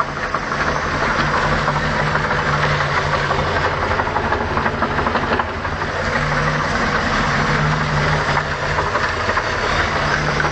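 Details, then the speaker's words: Sunbird 208 boat with damaged OMC Cobra 4.3 V6 warming up at idle, uneven dull knocking about three per second; cause undetermined, oil filter to be cut open for inspection; temperature gauge unreliable. "Alright, now you can hear the knock. She's just warming up here, but I'm going to let you try and hear it."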